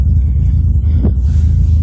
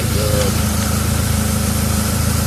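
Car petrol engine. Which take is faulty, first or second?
first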